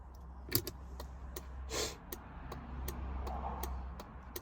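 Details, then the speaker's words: 1978 Mercedes R107 350SL early-model (1978–81) hazard relay working: crisp, evenly spaced clicks about three per second over a low hum, bulb flashing and cluster lights lighting; normal hazard relay clicking. "the relay works you can hear clicking the bulb works it's flashing and the lights in the cluster fire up"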